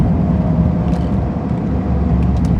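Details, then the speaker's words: Ford/Lincoln-era car with AOD transmission, front wheel spinning: steady low whirring rumble; owner suspects a bad front wheel bearing and plans to replace it. "And there's a front wheel bearing that's bad up here. I don't know if you can hear it."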